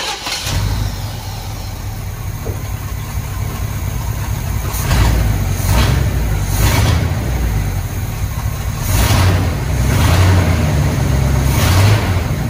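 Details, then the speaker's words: Squarebody Chevy C20 V8 with a carburetor, just after a new distributor rotor (accelerator pump diaphragm failing): a low, steady rumble settles into a fairly even idle with no obvious miss. Normal idle. "i'm gonna start it up and let it idle and see if it idle smooth"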